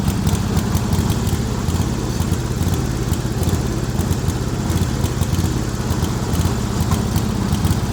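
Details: Speedex 1630 garden tractor with a new carburetor, the old head gasket reused and wiring still needing work: a steady-idle single-cylinder thump with lumpy, ragged beats; it runs, but rough and unsettled.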